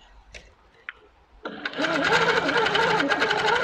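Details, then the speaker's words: Handi Quilter sit-down longarm at 150 stitches per minute, 12 stitches per inch, mode with a little pause at points; quick even mechanical patter at steady rate, no knocks or catches, normal stitching. "so on this Stitch we've got a little pause that enables us to have a proper star or point"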